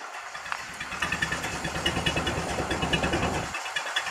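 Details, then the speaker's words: Ford Model A after Zenith carburetor throttle shaft and plate idle adjustments, heard at the tailpipe: slow even chuffing about three pulses a second, no misses; healthy very low-rpm idle. "isn't that a cool sound so if you get everything adjusted properly including the carburetor you can get this nice low idle just barely turn"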